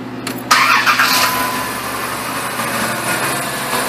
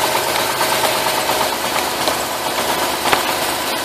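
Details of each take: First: 2000-2010 Dodge Caravan with P2305/P0300 misfire codes, coil signals tested with test light; after brief start-up the engine settles into a steady, even idle with no skips, not misfiring at the moment. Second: 2005 Dodge Caravan with P0300 random misfire: rough, uneven idle with a faint skipping beat; pulling this lead changes nothing, a dead cylinder; misfire traced to the coil serving cylinders 2 and 5.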